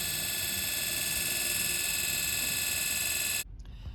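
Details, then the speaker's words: 1961 Rolls-Royce Silver Cloud generator on the bench run as a motor, 6 V on field, 12 V on commutator: smooth, steady high whine with light brush hiss, no crackle, misses or sparks; spins evenly, healthy. "Here it's running 6 volts on the field, 12 volts on the commutator. No sparks or anything."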